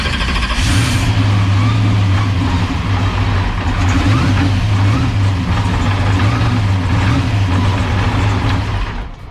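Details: Drag car V8 with Powerglide, heard on in-car camera at cranking before a pass: loud lumpy idle with an uneven metallic rattle; ARP flex plate bolts had backed out, fixed with new ATI flex plate.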